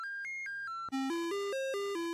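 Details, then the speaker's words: C64 motherboard with socketed, swapped chips, SID sound test: square-wave tones step in pitch, a bit noisy, but no hiss bursts; the SID also played demanding SID files poorly; faulty sound chip with missing noise channel. "but this sounds normal other than the noise. Oh, the sound channel. The the noise channel is missing."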